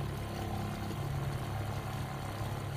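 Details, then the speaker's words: Shurflo 2088-403-144 RV water pump after repairing a part with super glue (previously ran continuously without tripping pressure switch): low even hum running smoothly, no rattle or surging, now delivering full water flow. "so go ahead and turn it on can hear the pump turn on we have full well we never got that much water out before we started this"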